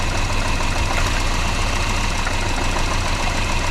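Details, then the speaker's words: Volvo 480 idling while HT leads are pulled one by one; with this lead removed it runs very rough, an uneven lumpy idle with stumbling beat and shaking low rumble from the disabled cylinder. "Yeah, that runs very rough. Now, what about this one? Yeah, definitely a change."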